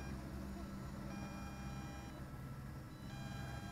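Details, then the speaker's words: Eachine EX2 Mini brushless drone (1306 2750KV motors, 7.4V 850mAh battery) in flight near end of flight time: high telemetry beeps about once a second over motor buzz, lights flashing. Low-battery warning beeps. "It beeps too, by the way, if you notice. Hear it? Both. That's the telemetry warning that this gets."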